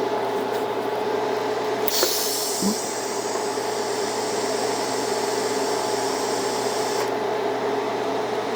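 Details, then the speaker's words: Beginner's first TIG lap joint on cold rolled steel coupons, current raised from about 100 amps to 110: steady, even arc hiss with faint buzz, no popping or sputter. Bead looks better than the earlier low-current pass, though a little hot. "Okay, that was better. So, not horrible. That's a little hot."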